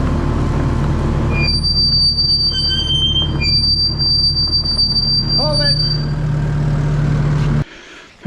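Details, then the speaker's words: Kubota track skid steer running after spraying WD-40 on the front idler: loud shrill squeals at several pitches over the diesel rumble, coming and going as the tracks turn; squeal thought to come from the right front track idler, not the rollers. "right so uh with Dawn running the uh machine the squealing was continuing in boy it is so loud it's it's even kind of hard to tell where it's coming from but I think it's coming from the right front uh front idler"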